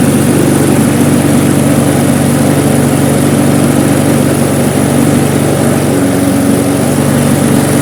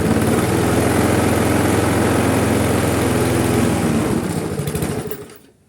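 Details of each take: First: Briggs & Stratton Classic carburettor lawnmower engine after shortening and re-looping the slack governor spring: smooth, even single-cylinder run at steady speed with no hunting or surging until it cuts off; normal running. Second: Briggs & Stratton Classic lawnmower engine, carburettor overhaul: it chugs at a low, steady pace then dies away, no longer stalling but not revving up at all. The springs look slack. Engine running too slowly.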